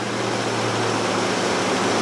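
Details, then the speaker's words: 1969 Plymouth Barracuda V8, revived after sitting 27 years, idling during new-cam break-in, good oil pressure: steady, even idle with a faint rattle, much better after refitting a loose plug wire; pretty normal. "I'd say that's pretty normal."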